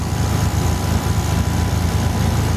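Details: Mitsubishi Eclipse MAP-sensor engine at idle with only a P0300 code stored: low idle that sags and chugs unevenly, running lean and misfiring because a dead upstream O2 sensor is stuck reading rich (above 600 mV), so the computer needlessly removes fuel.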